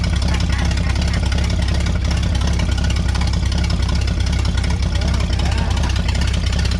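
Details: Vintage Scoopmobile LD5P articulated loader, thought late 1940s–early 1950s, after 15+ years sitting, coolant unknown: steady deep rumble about two and a half beats per second, no misses or knocks; running evenly.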